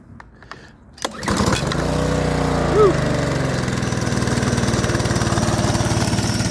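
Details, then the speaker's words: DeWalt DXP3123 pressure washer, Honda GSV170 engine, pawn-shop unit after repair/service, spraying water: starts and settles into steady even drone under pump load, no misses or surging; plenty of pressure, working well. "oh all right so got plenty of pressure seems to be working good"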